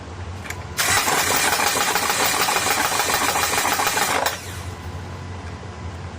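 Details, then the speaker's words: 2013 Honda Pilot J35 V6, 200,000 miles, original timing belt never replaced, before timing cover removal: cranks and catches with a rough, uneven thumping under loud clatter, sounding like knocking; worn timing belt slapping the cover, tensioner failure suspected. "But I want you to hear it, because it is popping and making, not backfiring popping, but it is slapping the cover and making like a thumping noise. So it does sound like a motor is knocking."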